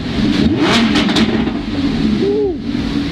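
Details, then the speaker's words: Rebuilt 2015 Lamborghini Huracan, warm at operating temperature, parked backed up against a wall so the sound echoes. Sharp revs rise and fall cleanly with no ticking or rattling; no oil or coolant leaks seen. Normal revving. "it's really loud because it's first of all backed up against that wall so all the noise coming here but it seems like we're good no oil leaking or no coolant leaking anywhere"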